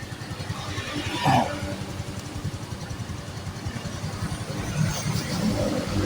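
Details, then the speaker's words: Yamaha Mio Fino 125 scooter that had died and would not run, after cleaning stubborn carbon deposits off the valves (oil burning into the combustion chamber), putters at a steady idle with light blips; idle now normal. "oke langsung normal ya sekarang ya langsamnya juga normal"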